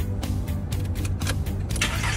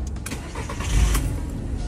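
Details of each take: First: Car that would not start after refuelling at a gas station: starter cranks steadily in long bursts but the engine never catches. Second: Car that would not start after refuelling, fixed after a valve letting too much into the intake manifold made the mixture too rich; started with foot on brake in P: catches almost at once and runs smoothly, music faint behind; problem solved.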